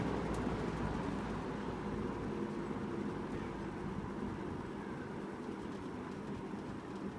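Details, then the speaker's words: 1983-84 Sears (Lasko) model 8121 3-speed 20-inch box fan on low: soft, even air rush with faint motor whine, no rattles; quiet normal low-speed run. Motor whine was loud before washers were refitted. "And low is nice and quiet. And you can hear that motor whine here too."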